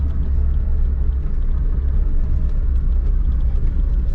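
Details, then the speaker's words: Lada 4x4 Niva seat after removing it and greasing with Litol to cure a squeak: on a rough road only steady low rumble and light thumps over bumps, no squeak or creak; seat now quiet, though owner unsure how long the fix will last. "что я вам скажу скрипов нет от чистоты эксперимента закрою-ка вот она дорога с . совсем не скрипит"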